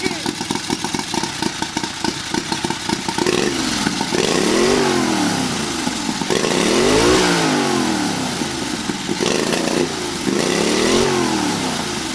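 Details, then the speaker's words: Turbocharged 670cc carbureted off-road buggy, first start on boost with new charge piping, no load: quick, clean blips rise and fall sharply. Crisp throttle response, revs freely, no turbo flutter heard. "Wow, that is insane. Guys, I'm pretty shocked. I did not think it was going to start up that fast."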